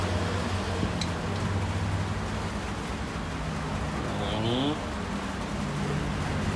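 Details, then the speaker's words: Mitsubishi Canter alternator after bearing replacement, on a bench test with a lamp: a smooth, steady hum with no bearing grinding or rumble. The lamp brightens as it spins, showing the alternator charges and runs normally. "Nah ini kalau kita putar dia semakin terang, berarti tandanya dinamo alternator ini mengisi ya."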